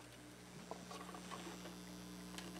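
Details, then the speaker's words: Amplifier with turntable, chassis ground wire not connected to anything: a low steady buzz with a faint higher tone over quiet patter. Mains hum from the ungrounded chassis that changes with plug orientation. "And there is my ground wire, come back here, you. My ground wire isn't connected to anything. This is not grounded separately to anything."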